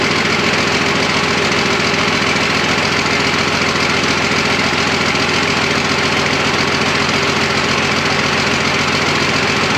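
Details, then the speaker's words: Freshly rebuilt twin-turbo Fummins diesel on first start, injection pump timing just set, no coolant, fuel leak present: even, steady idle clatter at about three and a half beats a second, no knocks or misses; sounds super healthy. "Well, huge progress, huge step in the right direction. This thing sounds super healthy."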